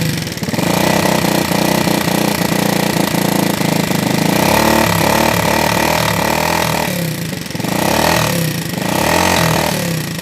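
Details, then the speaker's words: Vega ZR motorcycle engine that sounds wrecked and smokes: loud, rapid metallic sewing-machine clatter over a rough note, rising with revs; teardown found both rocker arms and the camshaft worn, cam lobes eaten away and parts loose. "Vega ZR, suaranya hancur kayak suara mesin jahit dan berasap."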